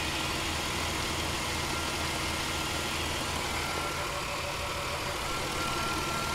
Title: Chrysler 300M 3.5L knocking noise